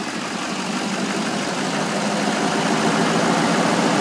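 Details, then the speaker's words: 2011 Chevrolet Silverado 2500 Duramax diesel 4x4, 37K miles, salvage title: steady, even diesel clatter at idle with smooth hum and no knocks or misses; runs well, transmission shifts fine. Healthy idle. "so no issues as I said other than the obvious you know it runs good transmission shifts fine"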